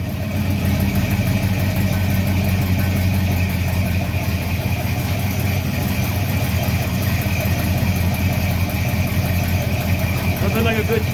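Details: Freshly rebuilt 350 Chevy V8 on an early run, valve covers re-tightened to stop leaks: steady, even rumble with a strong low beat and no knocks or ticks. Runs fine.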